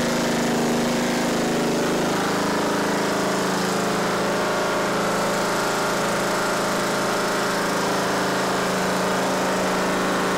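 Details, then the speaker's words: Simplicity Regent riding mower with a 14hp Kohler Command engine, started after the empty carb and fuel lines were primed by cranking: a steady single-cylinder chug at an even, fairly fast pace with no misses. Normal running. "but it starts it runs it sounds great it really does"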